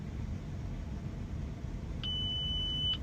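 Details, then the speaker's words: 2008 Audi Q7 no crank no start, ignition checked fine: one steady high-pitched tone about a second over low hum; low coolant warning, a coolant leak makes the computer block starting to protect the engine from overheating. "It has a like a coolant leak and the engine is like the computer feel like the engine is going to run hot and shut off the system and prevent the car from starting in order to damage the the the engine."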